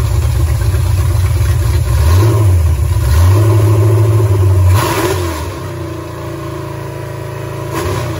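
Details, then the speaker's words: Super Stock Buick 350 V8 during camshaft break-in, after the distributor points issue was sorted. A deep, even rumble climbs cleanly with each throttle blip and settles back smoothly, with no knock or tick; the engine is healthy and the cam appears not flat. "well i it was kind of uneventful after the points issue but uh yeah i mean it sounds good"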